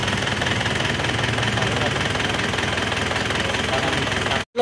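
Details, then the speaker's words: Isuzu Panther diesel after rebuild for blow-by caused by coolant loss, with cast liners and old pistons: even idle clatter with a steady beat, no stumble or odd knock; runs smooth, no smoke, oil filler breathing fine. "untuk suara mesinnya seperti ini menggunakan liner cor dan sefer lama itu kita gas-gas ya. Lihat dengar suaranya. Halus ya suaranya."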